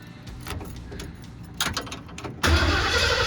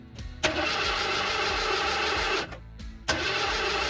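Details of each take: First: 1979 Ford Bronco in restoration, with gas now at the carb, no coolant: short crank then fires instantly and settles into strong steady run; clean healthy start. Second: 1979 Ford Bronco in restoration, first start after fueling tank, fuel line clamps had leaked: three two-second cranks turning over evenly but never catching; probably not getting fuel.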